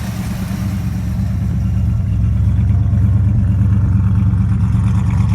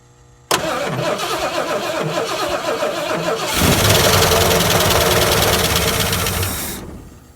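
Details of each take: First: Runs pretty good. At least I think so. For sitting as long as she did. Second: 70 or 71 Ford Torino GT 429 that sat about 15 years, cranked on a battery charger with starting spray: steady chug for three seconds, catches roughly, roars briefly, then dies; no fuel reaching the carburetor, runs only on spray.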